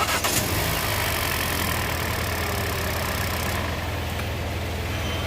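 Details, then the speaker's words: Hyundai new Creta petrol with a no-start fault traced to a bad relay, after the relay was checked: engine catches straight away and settles into a steady, even idle with no misses or knocks, running healthy. "చూసారా vehicle వచ్చేసి start అయిపోయింది. మళ్ళీ of చేస్తాను."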